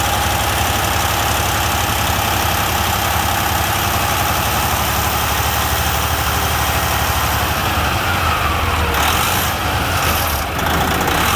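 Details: Semi truck diesel idling just after a Davco fuel filter replacement: steady, even low rumble with no knocks, misses or odd noises; healthy normal idle.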